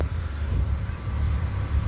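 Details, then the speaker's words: Engine idling rough and surging once the electric cooling fan kicks on (idles perfectly with fan off), while chasing an overheating issue where temperature pegs; low uneven lurching rumble, cause unknown. "As you can hear, the fan is blowing. The motor is running rough now that the fan is on."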